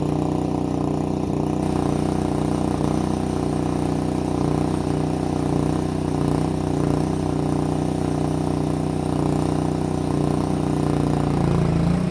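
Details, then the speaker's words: Bobcat 440B skid loader temporarily fitted with a small Honda pressure washer engine that runs only full throttle: steady even single-cylinder drone, no misses or knocking, driving the machine to test drives; normal full-throttle running. "it is a pressure washer engine, so it just runs full throttle or nothing."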